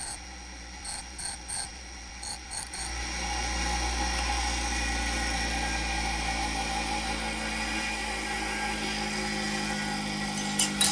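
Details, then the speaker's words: Old, worn bench grinder sharpening a drill bit to 118°: steady motor drone with a loose, uneven rattle and scraping bursts from grinding contact. Owner says the grinder is on its last leg. "now forgive me for the noise and the rattling here this is not the best bench grinder I've had this thing for a very long time it's it's kind of on its last leg"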